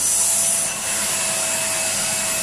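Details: Numatic Henry HVR160 vacuum fitted with a replacement motor, believed 2200 W, switched from lowest setting to full power: steady high-pitched air rush with constant motor whine, running smoothly at full power.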